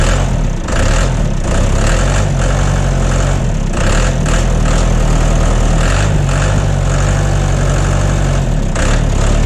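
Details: John Deere 2030 tractor diesel just after refitting overhauled, calibrated Stanadyne/Roosa Master injection pump, cold day, not warmed up: deep even idle clatter, no misses or knocks, burning clean with no blue smoke.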